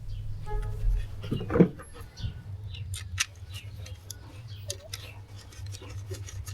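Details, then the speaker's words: Kia Ceed petrol after replacing the faulty ignition coil that caused misfires (moved from cylinder 4 to 3 when coils were swapped): steady, even low idle hum with light clicks and handling noises, misfire solved. "So, I realized that the problem was the ignition coil, so I put a new ignition coil and the problem was solved."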